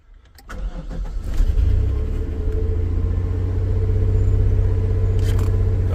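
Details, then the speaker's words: Cold start of a 1996 Chevy S10 4.3 V6 with Holley Sniper EFI and TSP distributor swap, third start, coolant 43°. Quick crank, fires promptly, smooth low idle. Air-fuel ratio was once 19-18 (lean); now shows decent cold enrichment. "doing what it's supposed to now even though it doesn't learn when it's cold before the air fuel ratio it was like 19 18 so it was running fairly Lan"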